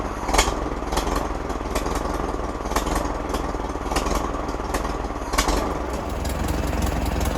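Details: 1942 Farmall Model H petrol/paraffin tractor, hand-crank start, first run after sitting many years: slow, loose-sounding four-cylinder beat with an occasional sharp exhaust pop, running on its own at a steady speed; normal running.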